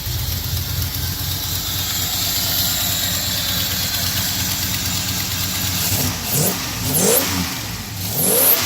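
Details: V8 with EFI just after replacing a failed MSD Blaster coil with an MSD HVC II coil: settles into a steady, fairly even run, throttle blips rise and fall cleanly with no misfire; EFI still needs a tune.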